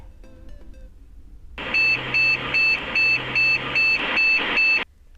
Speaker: eight short bits error with the display memory mostly a few video card causes this error so it's need to replace the video card to fix this